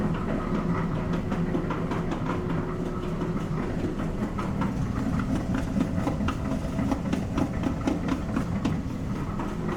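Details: Older Maytag dryer: continuous rough rattling rumble with rapid irregular clatter over the turning drum, continuing briefly after the door is opened; worn, loose blower wheel needing replacement.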